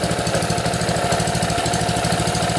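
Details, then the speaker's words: Honda GC160/GC190 pressure washer engine (water pump already bad) after valve adjustment runs with a steady, even firing beat and the valve ticking gone. It is still smoky from burning off excess oil after being overfilled and tipped over. "uh I don't have that ticking noise anymore so that's pretty"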